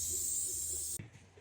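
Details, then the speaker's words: Mazda MX-6 leak-down test, second cylinder pressurized (gauge zeroed near 35 psi): strong steady air hiss about a second then cut off, about 50% leakage; tester thinks the hose leaks more. "No, bueno, segundo cilindro, la misma 50 de pérdida más o menos. Creo que pierde más la manguera, pero 50 de pérdida ahí más o menos."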